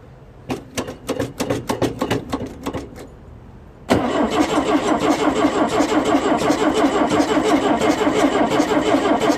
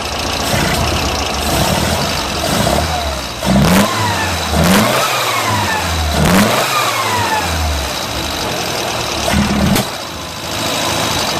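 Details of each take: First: Pinzgauer air-cooled four-cylinder with dual carburetors, choke on, 24 V: three seconds uneven cranking then busy lumpy idle; over-rich running, front carburetor float cracked and sinking, replaced afterwards. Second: Pinzgauer air-cooled four-cylinder after twin-carb synchronization; it blips and settles back evenly with no stumbles or popping, no more black soot, normal idle.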